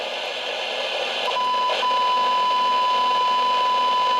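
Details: President James CB/10m radio with a receive fault, signal injected with a probe at the front-end transistor; steady clean tone of about 1 kHz rises strongly over the hiss; points to the front-end transistor.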